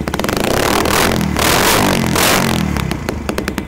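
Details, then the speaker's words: Custom CRF-style single-cylinder motorcycle with KLX wheels and a manual PE 28 carburetor: crisp blips rising and falling cleanly with throttle, engine smooth and quiet, no smoke even when revved; normal running. "Mesin tak kedengeran ya, mesin halus ya, tanpa ada asap, ditarik pun nggak ada asap."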